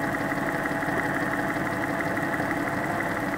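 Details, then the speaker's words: Porsche 986/987/996/997 flat-six checked for bore scoring, warm, stethoscope on block at cylinder 3: smooth even tone, no ticking or tapping, healthy; cylinders 1 and 3 best, cylinder 2 showed more rhythmic tapping. "3 really has no ticking sound at all. Cylinder 3 and cylinder 1 were the two best on this"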